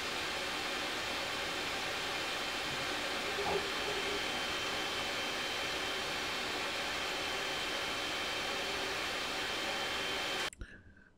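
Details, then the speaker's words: Elegoo Neptune 3 Pro 3D printer printing, mic about 30 inches away: steady even fan rush at a constant ~48 dB, faint high whistle likely from the power supply fan, no knocks, grinding or stepper noise; normal printing noise. "48 DB or so pretty constantly because it's just a constant fan noise you're not getting the um the same stepper motor noise is on the cr6"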